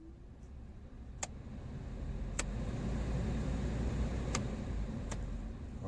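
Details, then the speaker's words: VW Polo 9N3 heater blower motor after cleaning and lubrication to cure its squeal, rechecked once reassembled: a soft, even hum building smoothly with a few light ticks and no squeal or grinding, a pleasant hum instead of the old squeak. "так ну давайте еще раз проверим нас слышно вам сейчас такой приятный гул не то что раньше скрип какой-то на отлично"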